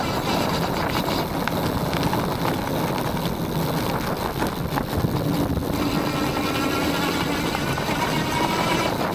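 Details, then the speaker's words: Aniioke A8 Pro Max dual-motor e-bike riding off-road after fixing a clunk (tightened stem, adjusted shocks, foam tabs where the controller hit the frame): steady tyre rumble and gravel crunch, no knocks or clunks; normal ride. "I'm going to call that a successful fix though I still May bottom out the shock if I hit something hard enough"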